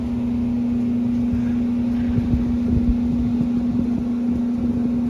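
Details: Beacon/Morris hanging garage heater after installing a new fan motor, replacing one worn with shaft play; burner lit, blowing hot air; even, steady low hum with no rattles, scraping or wobble, near silent; normal blower operation.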